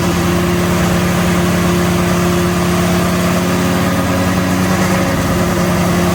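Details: BMW M3 with V10 swap, 10-into-1 headers and new custom 5-exit exhaust: loud, steady drone idling at about 2,200 rpm, too high, possibly because the idle is not yet set up; a vibration/rattle near the crossmember was also noted.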